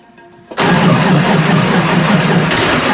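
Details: 1986 Nissan 300ZX Turbo, stored for years, first start after rebuild with fresh fuel line and filter: catches after short crank, runs rough and uneven; spark, injectors, sensors, vacuum checked fine.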